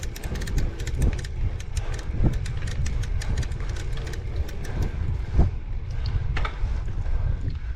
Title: Torturous Clicking Sound